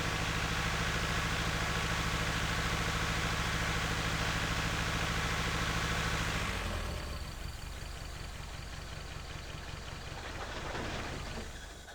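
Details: 1976 Toyota Celica RA23 barn find, engine reportedly rebuilt 5–10,000 km before sitting many years, first start: lumpy, uneven chugging that fades and stumbles, now switched off rather than stalling; misfire, running on maybe 2–3 cylinders from incorrect firing order.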